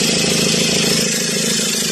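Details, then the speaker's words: Ford 2.2 diesel idling after repaired injectors, bench-tested and refitted to the vehicle: even, steady, smooth clatter at a settled idle with no misses or uneven knocks. Normal diesel idle. "ติดง่ายดายมากนะครับติดง่ายดายมากนะครับเสียงเครื่องนิ่มนวลนะครับ"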